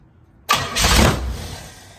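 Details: 1968 Pontiac Firebird first start attempt after project work: short cranking burst catches briefly then fades without idling; engine not running on its own. Fuel leaking at the carburetor and timing possibly off; cause suspected, not confirmed.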